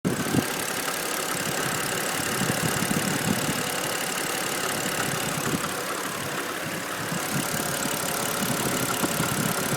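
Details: BMW N52B25 inline-six at idle: steady idle with a faint, regular light knock riding over it. The owner is asking for help locating the knock; source unknown.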